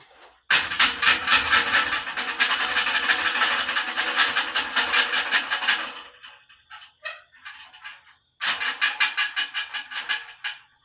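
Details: High-mileage pickup truck at idle, microphone underneath: loud metallic rattle in quick uneven bursts, stopping and returning; something loose underneath vibrating, fixed afterward, backing plates still needed.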